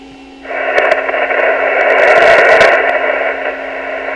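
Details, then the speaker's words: Yaesu FT-101 radio after a power switch fix and new line filter capacitors and fuse lamp, on lower sideband through an external speaker. Steady, even hiss with faint crackles and no distortion; normal receiver static. "really sounds like it's receiving good"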